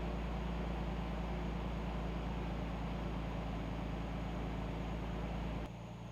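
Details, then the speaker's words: Engine's first startup in two years on two-year-old fuel; it started almost right away. Steady, even idle rumble with no ticks, knocks or stumbles before it is shut off; running clean and normal. "i think first startup in two years it started almost right up and it sounds to be running clean it sounds running pretty good so that's good doesn't sound like it's doing anything weird"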